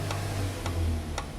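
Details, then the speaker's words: CG 150 motorcycle engine at idle: sharp knock about twice a second over a low rumble; crankshaft has play in its main bearing and moves side to side, after a welded clutch basket was also found. "Quando a o motor tá em marcha lenta, bate muito, faz muito barulho. Ele não pode fazer esse movimento."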